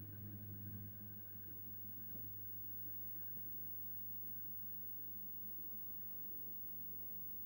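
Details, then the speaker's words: Boiler-room zone valve actuator on a home heating system, first autumn switch-on, powered up to see whether it moves: quiet steady low hum of a small geared motor turning slowly, no clicks or grinding, opening fully; actuator working normally, just slow. "Right, that has opened it all the way up. So it does look like it's working. It's also going slowly as well, so maybe they do go slow."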